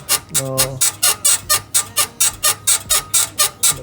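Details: BMW E53 X5, parked with engine off, body rocked by hand on a 34 °C day: sharp dry squeaks about twice a second, one per rock, traced by feel to a worn right rear upper control arm bushing, to be replaced.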